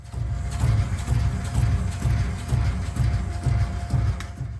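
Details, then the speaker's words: Audi RS DRC shock absorber on a test bench, nitrogen pressure lowered to simulate a faulty central valve: deep rhythmic knocks about twice a second, like cars with knocking central valves. "This is exactly what happens in your car with so-called knocking central valves."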